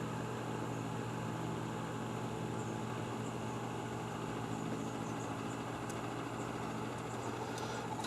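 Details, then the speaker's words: Vintage oscillating electric fan on the wrong cord, feeling stiff: steady hum with a soft whir, running noticeably slow and labored. It is a slow-running motor likely needing servicing; the owner suspects it may be miswired or the stiff cord may contribute. "I think this fan is in need of servicing because it feels a little stiff and it acts like it's running a little bit slow"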